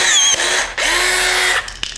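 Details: PT-4000 pneumatic rivet gun after repair; the fault was entirely in the nose piece, which was readjusted, with nothing wrong internally. Two sharp bursts of air hiss with a clean pull and release each time, no grinding or stalling: cycling normally.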